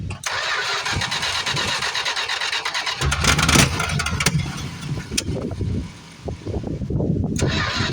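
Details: 1973 Plymouth Fury III, 360 engine swapped in after sitting engine-less 7 years; a little gas added to the tank, starter churns about three turns a second unevenly without catching. Owner suspects the fuel pump isn't pumping much fuel.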